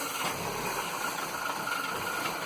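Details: 2007 Vauxhall Vectra 1.8 petrol idling with an uneven, hunting beat; no fault codes, fuel trims point to lean running from a vacuum leak, and the catalytic converter glowed hot after about two minutes of running.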